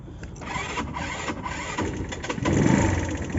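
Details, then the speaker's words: 2013 Omax 150cc scooter, about 9,657 km, engine knocks: sluggish, uneven cranking that only just catches into a rough run near the end; the battery is weak. "как стучит мой мопед сейчас вам покажу аккумулятор здесь уже хватит уже плохой"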